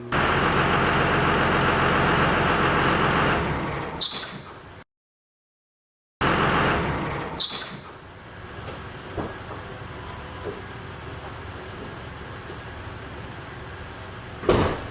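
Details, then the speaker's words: Second-gen Cummins diesel truck before fitting a Gates heavy-duty belt: steady diesel clatter dies away, then brief high chirps as engine winds down; serpentine belt squeak at engine shutdown. "So the Cummins squeak isn't the most annoying thing ever, but you know, if you're turning your truck off at work or at school or whatever you're doing and people don't know about it, they might think something's wrong with your truck"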